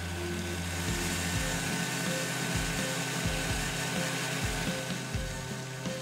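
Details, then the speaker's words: Sanitary centrifugal pump with 1.5 in suction pipe smaller than its 2 in port and two elbows in series near the suction: gritty, sand-like crackle over the hum, indicating cavitation. "listen to the noise the pump makes it sounds almost like sand inside the pump this is an indication of cavitation"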